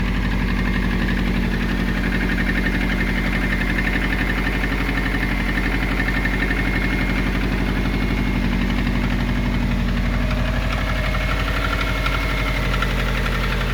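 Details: Subaru EJ20G boxer, cold idle before engine removal: steady fairly loose knock about three per second over low rumble; knock when cold, cause unknown.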